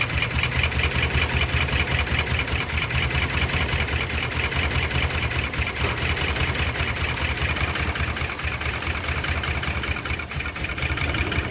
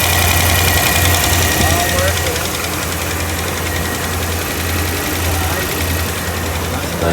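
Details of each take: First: 2010 Dodge Ram 5.7 Hemi after new cam install, with fuel in oil: V8 idles with an uneven, lumpy pulse; rough idle misfire traced to a pushrod not seated in its lifter. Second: 2010 Dodge Ram 5.7 Hemi (MDS) after new cam install, engine bay: steady even V8 idle, no tapping or misfire after reseating a push rod that wasn't seated properly, which also cured rough idle and fuel in oil; normal idle.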